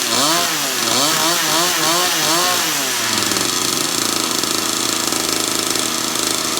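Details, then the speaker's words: Newly assembled kids' dirt bike, first start, new pipes and engine breaking in: several blips up and down, then a steady, even high buzz; easy to crank, good throttle, healthy first run. "But it rode good and it's easy to crank. Throttle felt good."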